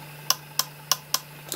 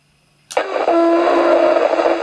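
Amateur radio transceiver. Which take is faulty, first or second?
second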